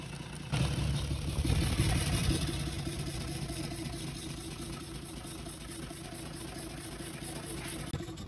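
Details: UD Nissan PKD 411 truck, NE6 six-cylinder diesel, after cylinder head repair with tappet cover still off: fires up, flares briefly, then settles into an even, steady low idle with no knocks or misses; oil reaching the rocker shaft.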